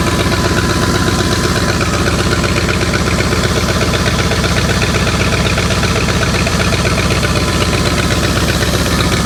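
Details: 1984 Ford 351 Windsor V8 from an F-150, stored about 23 years, running after a new distributor, power and plug wires; it started first try. An even, steady, fast V8 burble with no misses, knocks or ticks. Normal idle.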